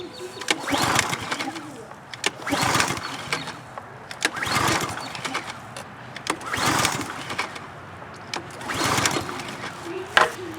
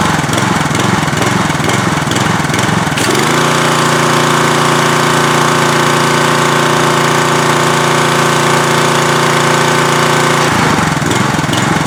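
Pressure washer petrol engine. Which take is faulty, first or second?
first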